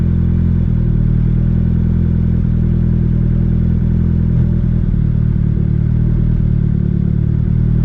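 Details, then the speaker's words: Budget turbo Honda Civic (single cam) with new 1500cc injectors, tune adjusted with ChatGPT help: idles fairly smooth at about 11.8–12.0 AFR, but leaner than that it misses and sounds choppy; owner unsure if something else is wrong. "but anytime I start going leaner than that, this thing just wants to start missing and it sounds kind of choppy and just to me doesn't sound good."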